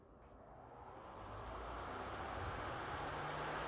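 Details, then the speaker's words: PS5 after cleaning and stage 1-3 cooling upgrades with an adjustable fan speed controller: rushing airflow climbs steadily in loudness for a few seconds, then holds as the fan is ramped from stock RPM to maximum. "there we go guys it's like a jet engine all right that's that ramped up to the Max"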